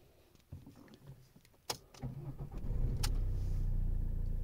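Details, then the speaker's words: Ford Mondeo with an intermittent no-start, after an £8 ignition switch replacement: a few key clicks, a brief crank, then it catches at once and settles to a steady even idle; started straight away five times in a row. "I've started the Mondeo up 5 times and it started straight away every time."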